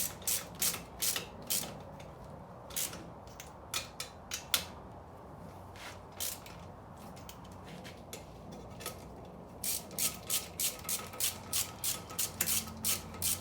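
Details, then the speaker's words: Broken Mustang 5.0 T-5 manual transmission, failed at the track: dry, uneven clicking and ratcheting about three clicks a second as the gearbox is rotated, consistent with broken gear teeth; "not supposed to sound like that." "now it is a broke trance they are not supposed to sound like that"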